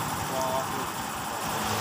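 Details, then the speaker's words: Honda Vario 150 FI, owner complaint of a rough noise at the rear, CVT cover opened and the rear wheel turned: a coarse, gritty grinding rumble from the CVT rear pulley bearing; worn bearing. "Jadi untuk suara yang kasar itu murni dari suara klaker dari CVT kulit belakang atau yang lain tidak berbunyi ya"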